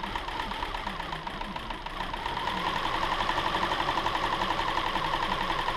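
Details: 2007 Subaru Outback 2.5 SOHC interference engine, wrecked parts car with shattered cam pulley, test-fired after new timing belt without cooling system: catches and settles into even idle with quick steady light ticking, no stumble or misfire; running cleanly.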